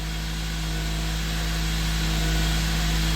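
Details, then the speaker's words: 2004 Toyota Matrix XR, 111,000 miles, cold engine, code P0505: steady fast idle held around 1500–1550 rpm with no dip; idle air control valve appears stuck with rust inside and likely needs replacing. "Oh yeah, I think that valve is stuck. The electronics, there is a rust inside, it's not moving, and I think she needs new valve."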